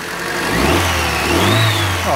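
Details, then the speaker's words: Car engine revving after the fan (alternator) belt tension was adjusted, headlights on to load the alternator: revs rise cleanly and settle back with no squeal or chirp; the belt no longer squeaks or slips. "excellent fantastic stuff so basically there's no more squeak there's no more slipping of that belt"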